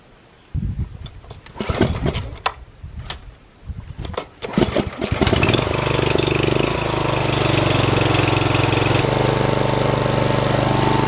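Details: Old Troy-Bilt mower engine after rebuild with head bolts torqued to 20, test run: a few pulls and clatter, then fires and settles into smooth, steady running with no knocks or misses.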